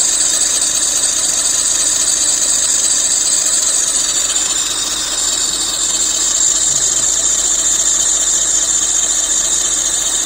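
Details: 2007 Lexus IS250 under the hood at idle: shrill continuous squeal, pulsing unevenly in loudness, quieting with lubricant; tensioner and pulleys checked fine, serpentine belt found dried and cracked, replacing it solved it.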